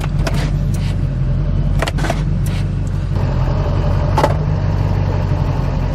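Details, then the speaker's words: 2006 Silverado 2500HD, LBZ Duramax diesel, Allison 1000 transmission, idling: sharp irregular clicks and clunks through the lever as it misses reverse; worn shift linkage cable pin not engaging the transmission properly. "you can hear that pin and the transmission not engaging properly"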